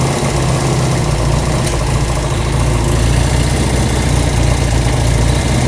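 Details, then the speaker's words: Honda CB200 vintage twin with aftermarket carburetors, fed from an auxiliary gas tank, during carb adjustment: steady, deep, even idle with no misses or knocks. Owner notes the idle probably needs adjusting up on one side. Normal idle. "That sounded pretty good. Now, what we want to make sure is we want to make sure that we have a nice idle like right now."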